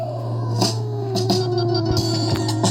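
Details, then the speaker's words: Anvox ACA 800 Gladiador active speaker (850 W RMS, 127/220 V) playing music from a pen drive: thin, low-volume output with a constant low hum/whine that appears even at low volume; cause not yet diagnosed. "veja o rí ó o volume no máximo aqui ó ó mesmo quando eu baixo o volume pera aí na hora que so um pouquinho do volume aqui já vem um ruído junto certo"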